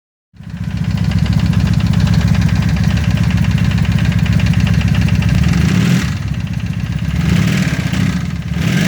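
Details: 1995 Honda Magna at idle: a quick, regular ticking knock that rises with revs over a strong exhaust beat; the owner wonders whether it is the chain tensioner or valve noise, unconfirmed.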